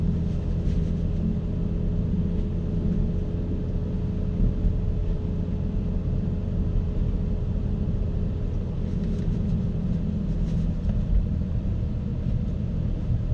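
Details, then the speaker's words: BMW E60 M5, owned about six to seven years, on a cold start and still warming up with little revving: a deep, smooth, even rumble with a faint steady hum and no knocks or misses. This is a normal cold-start idle. "I never get tired of the sound. It's an amazing sound that draws a lot of attention no matter where you go."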